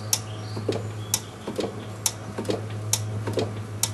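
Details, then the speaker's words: Drum brake being adjusted after a wheel cylinder replacement, with the self-adjuster cleaned and reassembled and the drum refitted before bleeding; the emergency brake is worked from inside, giving crisp clicks about twice a second over a faint hum as the self-adjuster ratchets out normally. "The reason I'm doing this is so I can go and tighten that drum up so I can go inside and adjust the brakes using the emergency brake. And you should be able to hear it clicking."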